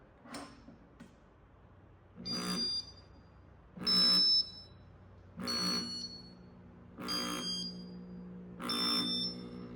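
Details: 1990 Casablanca Ventura ceiling fan, Intellitouch control board with newly replaced capacitor: short buzzy electronic bursts about every 1.5 s; speeds improved but fan won't shut off from the button, so something else on the board is faulty, cause unconfirmed.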